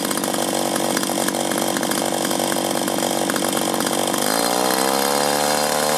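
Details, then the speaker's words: 1983 Echo PB400E two-cycle blower, warmed up and throttled up after a new fuel line and fuel filter, exhaust-port carbon cleaning and air filter cleaning: even buzz climbing smoothly to a steady higher pitch as the throttle opens, no bogging or surging; normal running. "She's a beauty! What a machine! Wish they'd built them like that now."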